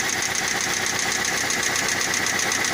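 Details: МК 1.6 engine running; a steady, fast metallic tapping rides over the engine without letting up, a knock from inside the engine, owner suspects a connecting rod, unconfirmed.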